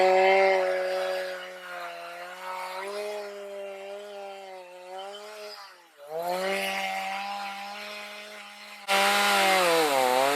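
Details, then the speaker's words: Stihl MS310 chainsaw after storage no-start fix (no parts), LA screw set so chain barely creeps, four-stroking rich: revs crisply, steady high whine rising and falling evenly with throttle; running normally, but cuts poorly in hard cedar, chain needing sharpening and rakers probably too high. "but she's running like she's supposed to, and that cedar wood is extremely hard."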